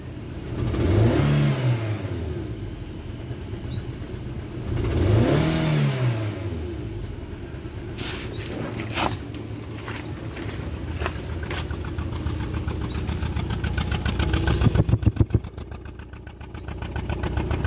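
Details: Suzuki Swift petrol engine revved twice, then lumpy idle with uneven pops and stumbles: misfire from faulty ignition coil.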